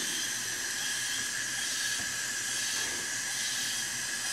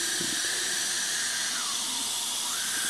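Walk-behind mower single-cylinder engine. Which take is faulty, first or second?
second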